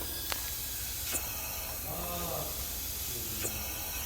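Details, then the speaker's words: Ford engine leak-down test, cylinder 6 pressurized with engine shut down: steady soft hiss of air escaping at the throttle body, suggesting intake valve not sealing or hanging open, though possibly piston at end of exhaust stroke with intake valves starting to open. "I got air coming out. Okay. So that tells me that the valves are hanging open, but there again, it could be at the end of the exhaust stroke and the intake valves start to open."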